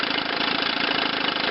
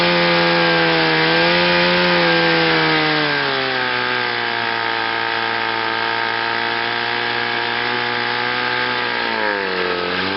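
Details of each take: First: Chrysler outboard on a test wheel, run up to power: rough, slightly uneven buzz as the top cylinder misfires at high speed though it idles fine; ignition misfire, condensers under the flywheel suspected. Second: Chrysler outboard with an ignition misfire, run in gear forward on a test wheel after a new water pump, rebuilt carburetor and new fuel pump. It buzzes steadily with no misfire and sounds good, ready for a lake test.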